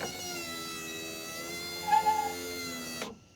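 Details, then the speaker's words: 1997 Subaru Legacy Outback power window after repairing and refitting the window switch. Smooth steady motor whine for about three seconds, then a clean stop as the window goes down; working normally. "so here's how up went and you can hear the engine or motor working and then let's see if down works now"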